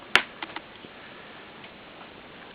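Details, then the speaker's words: Bush LT24M3 24-inch LCD TV, under a year old, with flickering power LED and intermittent power: after freeze spray on the temperature-sensitive voltage regulator, sharp irregular relay clicks as power cycles in and out; regulator unstable, to be replaced. "And you can hear it clicking every so often. Get there. Another click. Click. So, the regulator is doing something now."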